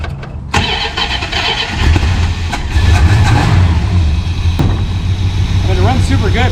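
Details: 1974 Plymouth Satellite Sebring Plus V8, sitting 20 years: starter turns briefly, catches, settles into low lumpy steady idle; bad starter relay was the no-start cause, transmission two quarts low.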